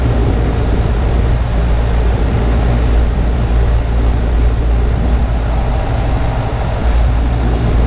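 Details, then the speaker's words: Ten-year-old central AC unit (possibly Lennox) with a compressor that won't start. Deep, steady drone like straining against a load, never spinning up; tech suspects the compressor is badly locked up and checks the windings. "still trying hard looks like your presser is locked up pretty bad"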